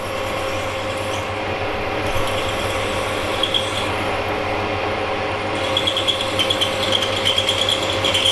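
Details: Drill boring a tapping hole in a steel INT30 face mill adaptor past the hard spot: steady low hum with an even scraping cut and no chatter or squeal, a clean normal cut.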